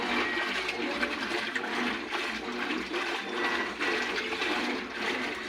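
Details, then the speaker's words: Colormaq 12 kg top-loading washing machine agitating after the gear, bearing and seal were repaired to cure an absurd mechanism noise. The water sloshes steadily with no knocking or grinding. "fiz o trabalho de mecânica engrenagem rolamento e Redentor tava no barulho absurdo agora tá"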